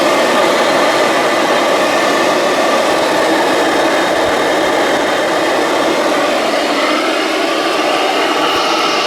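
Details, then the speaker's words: Singer R-3 vacuum, about 1936, run on low outdoors after brush roll inspection: steady even whooshing roar with light brush-roll rustle, no knocking or squeal; normal running. "I mean, there's noise from the brush roll, but there's not,"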